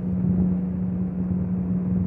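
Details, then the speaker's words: PC with Zotac RTX 4090 idling at 45 °C and its fans stopped, recorded on a phone mic: constant low hum near 200 Hz with no rattle or ticking, coming from the CPU fan; normal fan running. "any noise you hear right now is the CPU fan there's the CPU fan"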